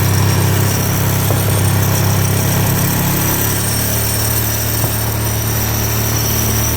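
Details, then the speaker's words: 2018/19 Yamaha Fazer FZ25 250 single-cylinder held at steady revs, Maxi Race fitted: coarse buzzy rattle from the loose kickstand pin and bolt vibrating. "Parafuso do pezinho ali, ó, o pino do pezinho fica vibrando, faz esse barulho feio."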